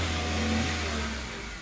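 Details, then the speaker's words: 2013 Chevrolet Spark 1.2 with code P0352 misfire on two cylinders, coil already replaced; real fault was wiring with water in ECU; after temporary repair the engine runs evenly, easing down from a light rev with no misfire. "Nosotros hicimos esta reparación momentánea y el auto ya está funcionando bien."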